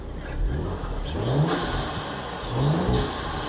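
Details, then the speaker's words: 2017 Audi S4 Japan import that lost all boost after a bang, after fitting a new boost controller valve, warmed up, revved at standstill with air filter part disconnected: rising turbo whistle on each rev, boost is back. "That sounds like boost. It's definitely blowing. That big old snail sounds like it's blowing, boys."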